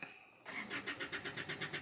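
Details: Isuzu Altera diesel hard starting and stalling: rhythmic starter cranking about eight pulses a second without catching; caused by defective fuel filter and suction control valve.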